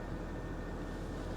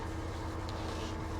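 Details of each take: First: Car at auction, 85,000 miles, 3/4 tank of gas: a steady, even low hum with a fine regular pulse and no knocks or ticks. Normal, smooth running; no power steering whine, though the steering feels heavy. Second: 2008 Cadillac DTS V8, about 100,000 miles, check engine light on, just started at auction: low steady drone with a slightly uneven, lumpy pulse; running rough, cause not found.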